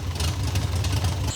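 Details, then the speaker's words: MGB GT, first drive in 27 years, starts right up after many parts replaced; low idle thrum with uneven, wavering beat that dips now and then: stumbling idle, carburettors still need tuning. "Now, you hear it kind of stumbling. I need to tune the carbs, but I'm gonna drive it before we do that because I'm excited."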